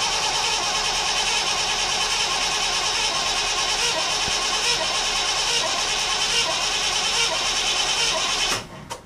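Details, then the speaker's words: 1959 Chevrolet Bel Air first start of the year after winter, cranking to build oil pressure; steady even starter whir, much quieter with the new flywheel, no grinding; healthy cranking. "Okay, and you'll notice how much quieter the starter is with that new flywheel when I go to crank it."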